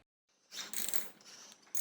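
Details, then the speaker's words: Yamaha F4 outboard, idle nearly a decade: reverse gear was stuck, freed by running a few minutes in forward; short crisp metallic clicks and ratcheting as the lever moves, no grinding or binding; reverse now shifts and works correctly. "Bakåtväxeln skiftar och fungerar korrekt."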